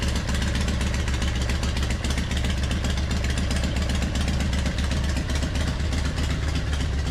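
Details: Harley Softail carb fixed by cleaning the dirty enricher circuit and refitting the original intermediate jet, after a suspected miss or fuel problem: deep, steady, loping potato-potato idle with no stumbles or misses. Runs great.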